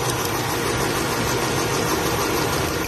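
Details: Toyota Vitz: uneven shaky idle with a lumpy beat under the engine hum, one cylinder dropping out; vibration traced to a coil pack, due for replacement.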